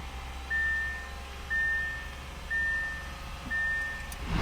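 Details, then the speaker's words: Wrecked 2013 Audi S6 rebuild, first start attempt after replacing hoses, vacuum lines, duct, coolant connections and clearing codes, jump start tried: four evenly spaced dash chimes, no engine catch, short clatter at end; no-start, cause unknown. "Well guys, we had no luck starting the car."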